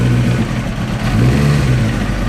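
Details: 1994 Honda CBR900RR, misfiring at low-mid rpm despite replaced carburetors, warming up: low, lumpy idle with uneven beat; one cylinder not firing, its compression far below the others.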